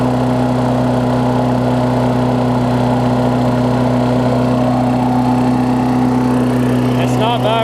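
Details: Briggs Classic engine on a Bolens push-mower deck with what is probably a Murray blade, after fitting the diaphragm and 10-15 minutes of running; the mower hadn't run in a while: smooth, constant drone at steady speed, no surging, hunting or vibration; running well.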